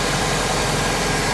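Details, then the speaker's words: 1997 Vauxhall Astra F (Mk3) petrol, first cold start after a timing belt change: a steady, slightly fast idle with an even hum. The brief knocking at start was not valves hitting pistons; the engine runs perfectly. "it's definitely worth mentioning that knocking sound you can hear it's not valve's hitting pistons it's that i i panicked two when i heard it i properly for our christ what we're done here but no it's running absolutely perfectly"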